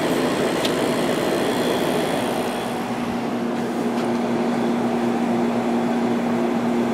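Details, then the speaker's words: 1989 Fedders-made Climatrol 8,000 BTU window AC (Rotorex compressor, Samsung fan motor, rated 8.5 A) just started on low cool: steady fan rush and even low compressor hum, no knocks, already cold. Normal running. "And yeah, that is a Rotorex compressor in there. Pulling right now."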